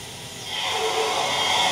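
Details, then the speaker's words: Control valve with Cavitrol III two-stage trim at about 1500 psi inlet and 150 psi outlet: smooth steady flow hiss, greatly reduced noise and vibration versus standard trim, no cavitation crackle. "as you could hear the cabot trail 3 two-stage product greatly reduce the amount of noise and vibration coming from the trim"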